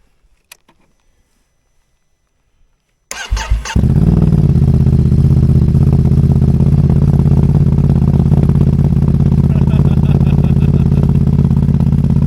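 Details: Ducati motorcycle with a Rapid Bike module and engine light on, trouble appearing after refuelling (owner suspects bad fuel or wiring): start after a short silence, then lumpy uneven idle thump about three per second; rough idle, cause unconfirmed.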